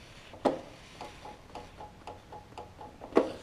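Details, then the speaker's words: John Deere LT166 lawn tractor with starting issues: two sharp clicks about three seconds apart with faint ticking and no cranking; solenoid clicks but the starter never turns, starter solenoid later found bad. "let me make sure it's not the battery and we'll go from there because like i said it's clicking now which we're better off than what we were"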